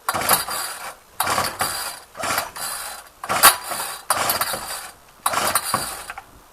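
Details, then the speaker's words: Ryobi string trimmer, unrun two weeks, cold 8-9 degree day, choked, primer bulb empty then primed ten times, throttle held: six rasping recoil pulls about a second apart, no firing; won't start, fixed by carburetor adjustment. "It's normally pretty hard starting, as some of the older Ryobis are. Starter don't sound too healthy."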